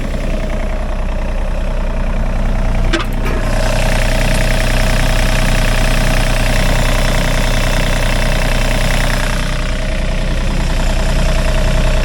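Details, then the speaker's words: 2014 Yanmar D-series mini excavator, 2013 engine, 2,600 hours, at auction: diesel fires up with a brief clatter then a deep, even, steady idle thrum with no knocks or misses; engine sounds good and healthy. "Fires up, sounds good."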